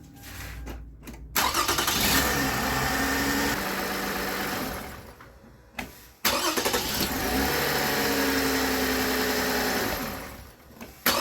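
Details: Toyota Avalon after replacing the alternator with a customer-supplied part. The engine catches and settles to a steady, even run with a healthy accessory drive. The obvious whine it made before on cold start-up is gone: normal running.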